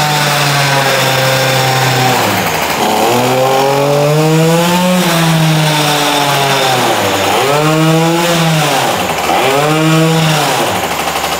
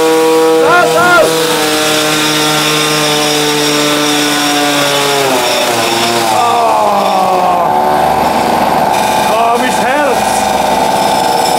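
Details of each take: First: Tuned Peugeot 103 moped two-stroke revving with the new special exhaust fitted: a loud metallic rattle like steel balls in a pan comes from the front of the engine, not the exhaust, with a steel-on-steel clatter over the rising and falling revs. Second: Tuned Peugeot 103 moped two-stroke with a special resonance exhaust fitted, runs a high, clean wail steady at full revs, dips as the throttle eases, then climbs again; engine runs strong and healthy.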